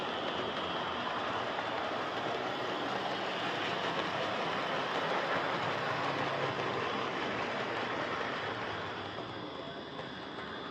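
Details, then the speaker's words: Hornby Dublo R1 0-6-0 model locomotive, possibly about 60 years old: small motor whirs loudly with a gritty, rattling buzz and steady rail clicks; heavily run with brushes worn right down and battered wheels. "Okay, so as you could no doubt hear there, this is a tad loud. I've been fiddling with this a lot to try and reduce the noise, as these old Dublo motors are tricksy things."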